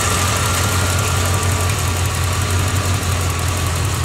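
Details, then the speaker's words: 1986 Corvette L98 TPI 5.7L V8 idling after cleaning a clogged plenum EGR port (EGR and knock sensor codes, failing emissions); steady even low rumble, no misses, no check engine light yet; normal idle. "okay she's running we got her back together like it's close to be so far well it's running"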